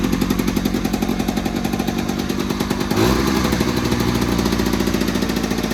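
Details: 1970s Attex ST300 6x6 small single-cylinder engine after the rectifier was remounted and a fuel-pump ground fixed, started without the fuel pump: steady idle with an even beat, picking up slightly around three seconds; runs fine.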